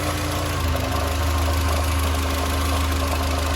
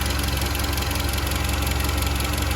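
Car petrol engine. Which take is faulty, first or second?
first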